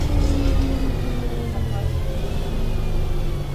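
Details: Mercedes-Benz O-500MA bus diesel idling with a loud, raspy, blatting exhaust note that swells a little, from a holed exhaust; exhaust leak.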